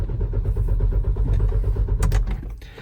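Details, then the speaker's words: 2015 Dodge Durango AWD Limited V6, 202,598 miles, lost power and stalled after remote start: starter cranks steadily about four beats a second but never fires; starter relay checked good, runs briefly on starting fluid, so failed fuel pump suspected. "just keeps cranking and cranking."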